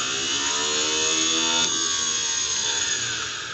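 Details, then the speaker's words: Cub Cadet 169 garden tractor starter generator field braking test: motor spun up, positive moved to F terminal, high even whir barely slows when it should brake hard; this starter generator is bad, charging system fault being diagnosed. "then unhook the positive and put it on the f terminal and it should break really well this one doesn't"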